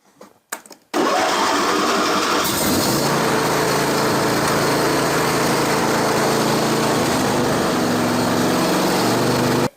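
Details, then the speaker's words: John Deere LA165 lawn tractor after spring service (oil and filter, air filter, fuel filter, spark plugs), battery kept charged over winter: fires on first crank and settles into steady even single-cylinder run, no misses or knocks; normal start and idle. "Sounds good. Started up really well."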